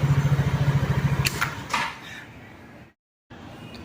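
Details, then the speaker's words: Easyride 150Fi scooter after fix: visor-area vibration came from one of three thin bracket pieces broken, wrapped with tape; brief smooth even idle with no buzz or rattle, then engine shut off, vibration gone. "thankfully thankfully talaga naayos natin yung issue na yon na walang kahirap-hirap"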